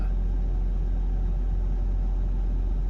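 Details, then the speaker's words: Mercedes 220CE W124 coupe after a replacement throttle body, V-Power fuel and injector cleaner: a steady, even hum with the misfire and lumpiness gone, but the idle still high at about 1500 rpm, cause unknown. "So you can hear she's still idling a bit high, but not lumpy anymore. Misfire's gone, so I'll just have to run him for a bit, see how it goes, and go from there."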